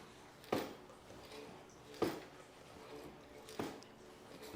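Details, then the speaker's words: 1971 Yamaha XS1B front fork during fork oil change: three dull thumps about 1.5 s apart as fork is pushed down, bottoming out hard; owner suspects removing the shim over-preloads the spring. "hear it bottoming out on the other side? That's the other side. So I think just by pulling that shim out, that is preloading that spring too much and not giving us the bounce back that we need, and it's just smashing into it."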